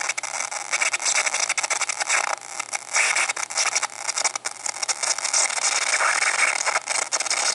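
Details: MacBook Pro right speaker: harsh, crackly high-pitched screech with ragged bursts, nothing low, while the speakers are muted; speaker screeching noise, cause unknown.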